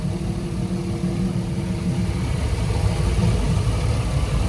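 Low, even rumble that holds steady with no knocks, misses or surging; this inboard is idling cleanly and healthy.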